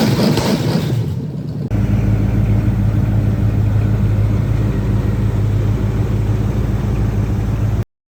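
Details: 1973 Chevrolet K5 Blazer V8; steady, even low rumble with no knocks or ticks, running smooth and regular, a healthy engine.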